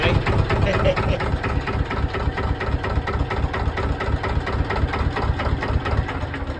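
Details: Wide-beam canal boat diesel engine at normal idle: slow, even thump of about two beats a second over a deep, steady rumble. The owner says it is purring and sounds lovely.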